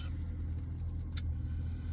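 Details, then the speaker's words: 2009 BMW Z4 E89 sDrive 2.3i, six-speed manual, about 65,000 miles, heard from inside the cabin just after push-button start: low, smooth, even rumble with no knocks or misses; warning lights clear; normal idle. "let's fire it up press the starter button all the warning lights come on and go out as they should"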